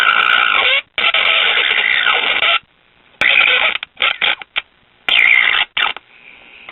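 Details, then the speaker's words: Late-1950s Japanese tube radio after new volume pot, tubes tested good: thin sound crackling and dropping out in irregular bursts every second or two, worse when pressing the speaker; loose connection suspected, not confirmed. "doesn't seem to be a tube issue when i press on the speaker so we've got a loose connection here somewhere"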